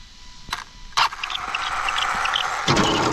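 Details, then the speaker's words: Arrma Infraction 6S BLX RC car: motor whines up on throttle with faint high chirps and a few clacks, only when going forward; owner suspects debris in driveshaft or gears; drivetrain squeak under throttle. "That little squeak. Only happens when it goes forward. Probably something just got into the drive shaft or the gears in there."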